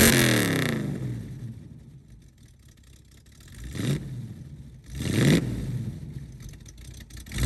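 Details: 1969 Mustang V8 that sat 15 years, revved and settling back cleanly with no screaming hiss after a bad vacuum leak was fixed; earlier puffed a little smoke when revved; sounds healthy.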